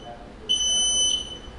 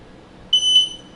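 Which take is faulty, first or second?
first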